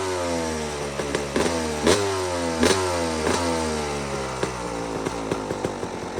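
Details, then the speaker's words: Two-stroke dirt bike after repacking an empty Pro Circuit silencer and welding its broken joint: crisp blips rising and falling with throttle, clean ring-ding, no rasp; exhaust properly quiet. "but now it sounds like it's supposed to"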